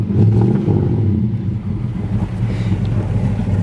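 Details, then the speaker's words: 1966 Plymouth Barracuda V8, automatic, believed original motor, new glass packs and tailpipes, original-style carburetor and air cleaner: deep, steady burble with a brief blip early on, even firing, no knocks or ticks; normal running. "I just want you to see it running we believe it's the original motor"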